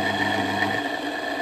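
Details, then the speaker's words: Myford ML7 lathe, over 70 years old, drive motor run with no load: even hum with a rough, rattly edge; motor is noisy, possibly tired bearings, unconfirmed. "as you can hear the motor is a bit noisy"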